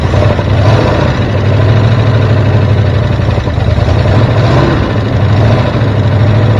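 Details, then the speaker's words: 1973 Ford F350 dump truck (1976 cab, 1979 front) idling: slow, deep, lumpy V8 idle close to stalling. Idle is set too low and the idle screw is to be raised. The choke is wired so it can't close, and a vacuum leak is suspected. "f sounds like you got the idle set a little low so maybe we'll fle with that"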